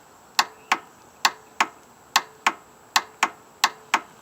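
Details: Kymco Agility 125 scooter that suddenly stopped starting: sharp dry clicks about three a second in uneven pairs, engine never turns over; a part was already replaced without fixing it, cause unconfirmed.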